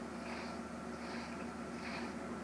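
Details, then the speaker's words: Whirlpool washing machine that wouldn't spin and blinked LEDs, after repair: drain pump runs then even spinning hum with soft regular rise and fall, slight vibration, no grinding or banging; normal spin cycle. "there you can hear the noise of the fine that is already squeezing you are already playing the article vibrates a little"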